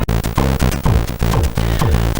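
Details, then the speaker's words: Commodore 64 (spare board converted NTSC to PAL) running a cartridge game (Rick Dangerous, Stunt Car Racer or International Soccer): game music stutters and breaks up, notes chopped short, sounding broken, though the game runs at normal speed. "But if you know this song, it sounds like broken. You hear that? It sounds really bad, really choppy."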